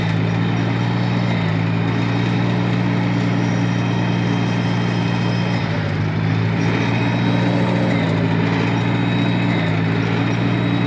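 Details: 1953 Farmall Cub tractor after refilling the hydraulic system (NAPA tractor hydraulic transmission fluid): steady low drone with small speed shifts, no squeal; normal running.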